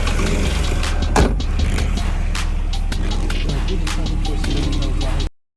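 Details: Engine with a misfire on cylinder 5: an irregular, loping idle with occasional stumbles under a steady low drone.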